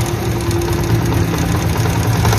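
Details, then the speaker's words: 2013 model 70cc small motorcycle engine idling: light, fast rattle over low exhaust beat from the timing chain; fix is replacing a cheap 10-rupee spring. "एक शंशर की आवाज़ जो है ना engine से आ रही है, इसके टाइमिंग चैन से।"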